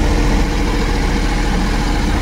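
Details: Suzuki Every DA64V turbo engine with a high idle and strong vibration, lacking power uphill: deep uneven lumpy idle with stumbling pulse and heavy rumble from a misfiring cylinder.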